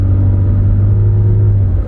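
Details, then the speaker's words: In four-wheel high: steady low driveline drone with no whine or clunk, barely louder than two-wheel drive and much quieter than a Dodge system; quiet, healthy four-wheel drive. "Now, unlike the Dodge, this thing doesn't really make much more noise even though it's in 4-wheel high. I gotta say, it's definitely a higher quality built 4-wheel drive system. It's much quieter."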